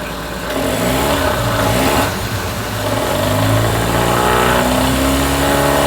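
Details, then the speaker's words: Mercury 9.9 hp outboard after fuel line replacement, idling then revved in neutral/reverse: revs up and settles cleanly with steady even beat; running healthy, old fuel line believed the problem rather than carb. "She's idling good. That's reverse. Neutral. Well, she's running good. I think it was just the fuel line that was the problem."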